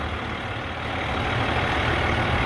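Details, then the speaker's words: 2001 International 4700 DT466E diesel grapple truck with very low miles: a steady, even low idle rumble with no knocks or misses and no smoke. A healthy engine. "No smoke, no knocks. Sounds good."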